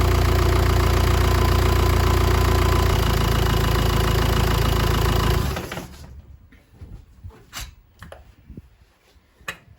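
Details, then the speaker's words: 2010 Jeep Patriot 2.0 CRD diesel after sump removal and resealing for low oil pressure fault: even, steady idle clatter with no knocks or rattles, then clean shutdown; normal diesel idle after repair. "okay no nasty noises by the sound of it"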